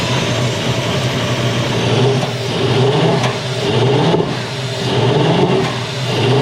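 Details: Mid-1990s Toyota Hilux ute converted to a 1UZ V8 surges unevenly with irregular sharp pops and stumbles, running extremely poorly and backfiring. The battery terminal had been hot. Worn thrust bearings/thrust washer were diagnosed and repaired.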